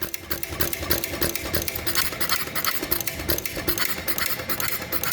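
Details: 1933 John Deere Model E hit-and-miss engine, first start in years, after cleaning the igniter, running on very old fuel: quick light clatter with uneven pops as it fires and coasts. Running freely.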